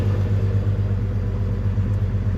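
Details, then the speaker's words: Jeep Cherokee 4.0-litre six-cylinder, sat a while but run the day before, started before its LS swap: smooth, even low rumble at steady idle, no knocks, ticks or misses. Normal idle. "See if it still starts. Yep, starts up. Sounds good for 6-cylinder."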